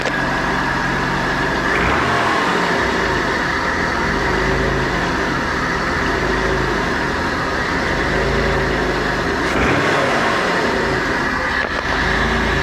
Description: 170 000 KM 12 Valve 6G72, used Shell Helix Ultra 10W 60, you can hear the ticking noise near the end (cold start)